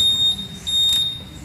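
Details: Honda Vario 150 keyless with total electrical failure at ignition-on, fixed by tightening the loose fuse contact: clear high-pitched confirmation beep; keyless system powered and responding normally.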